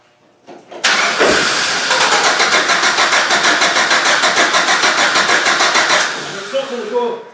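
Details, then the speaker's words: GM Vortec engine project, petrol, fuel leaking at top of tank and fuel not reaching the engine: starter churns steadily at about three turns a second for five seconds with no firing at all; no fuel delivery. "so let's see if I can fix that leak so I've got a fuel problem it's not getting up here"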